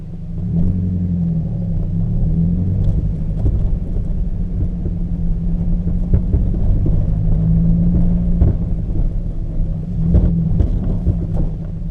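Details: Peugeot 206 driving gives irregular dull clunks and knocks, thought to be from the front suspension, over heavy road rumble. The cause was worn engine mountings.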